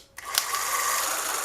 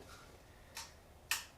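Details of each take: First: 1975 Honda GL1000 Goldwing starter pulled out and given direct power, bypassing the rusty solenoid and cables: quick whir climbing to a steady high hum; the starter spins freely, not seized. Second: 1975 Honda GL1000 Goldwing, plugs out and fuel line off: two sharp single clicks about half a second apart with no cranking; rusty starter solenoid connections mean no power reaches the starter.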